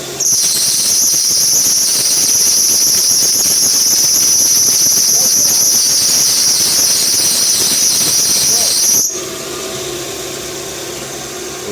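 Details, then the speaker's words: Hyundai Tucson, belt noise at engine start; loud piercing squeal held about nine seconds at full steering lock, then drops away; loose, slipping alternator belt, not the power steering pump. "vamos tá dando partida aqui no carro para vocês ver o barulho que faz na Correia esse barulho aqui ó vou vou pedir para esterçar você vai ver que vai fazer barulho quando chegar no final ela faz barulho de novo"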